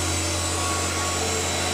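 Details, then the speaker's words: Machine tool spindle at maximum rpm: steady loud hiss with a gritty crunch; owner suspects the bottom bearing grease is already contaminated with coolant, before fitting a protective add-on. Hissy crunchy spindle noise. "those fearing it's got a slightly sort of hissy hissy crunchy noise you know it's just a little bit worrying that sound"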